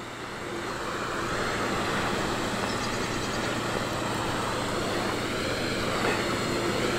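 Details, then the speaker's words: Dodge pickup rolling on a snowy driveway during winter warm-up: smooth, even engine drone under tyre and road noise, no knocks or misfires; running healthy. "sounding sweet bubble bubble"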